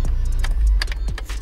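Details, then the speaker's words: 2003 Mini Cooper S (R53) that wouldn't start, fixed by removing the ignition switch and cleaning its contact points; short crank, then it catches straight away and settles into a steady low idle, starting cleanly. "actually what i did is i i cleaned the points on it [Music] starts up"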